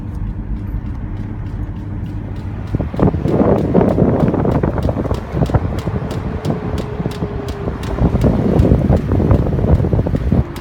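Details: Aston Martin driving: fast light ticking about four per second under heavy wind noise from damaged rear driver-side wheel bearing, later replaced.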